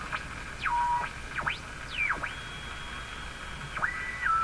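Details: Philco 49-501 Boomerang tube radio: whistling tones swoop up and down and hold steady over a hiss as the set oscillates and squeals; a bigger capacitor suspected to stop it.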